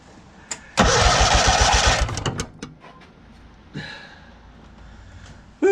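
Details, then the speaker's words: John Deere 317 tractor, cranked without starting to check whether the fuel pump delivers fuel before a carb clean. Starter spins about 1.5 s at roughly four even pulses per second, then stops without firing. Fuel pump works; normal cranking. "we're gonna crank it a few times just to see if we can get some fuel to come out of the fuel line here see if this little fuel pump right down here is working"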